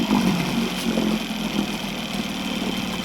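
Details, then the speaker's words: Evinrude outboard on a jon boat idling in forward gear at about 750 rpm (neutral about 1200): steady, even low putter with no misses, knocks or hunting. Normal, though it runs smoky and lacks fine idle adjustment. "that sounds right to me reverse should be about 600."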